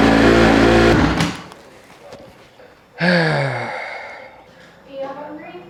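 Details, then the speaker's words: 2008 Honda CRF150RB after a new spark plug cured dying on throttle: after each blip the revs fall back slowly and hang high instead of dropping to idle; hanging high idle remains. "so the issue of the bike dying as soon as you get the gas is fixed by that spark plug I'm still getting that hanging high idle"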